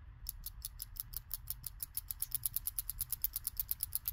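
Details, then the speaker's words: BMW 335i N54 chasing VANOS codes 2A82/2A87, cleaned VANOS solenoid check valve shaken by hand: quick even light clicks, six or seven a second; once completely stuck, probably gummed up, it now moves freely, though a replacement is likely. "you hear that yeah this one was uh completely stuck it wouldn't make that noise at first I'm thinking maybe it was grimmed up and it's finally loose"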